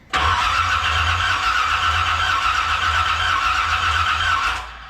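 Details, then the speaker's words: 1981 Corvette with renewed engine just installed, choke adjusted leaner, owner suspects not choked enough: steady fast starter cranking, engine catching faintly but not firing for about four seconds; cranks, no start. "She wants to. She really does. You can hear it in her voice."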